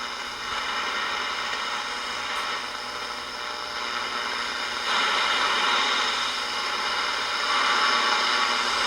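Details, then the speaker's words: Ross RE-1207 radio after re-cap and repair, tuned on AM around five o'clock: steady hiss with faint pulsing hum and no clear station, only two weak stations received; mostly static, poor AM reception. "like i say we have two stations but like i say it's not very good ones"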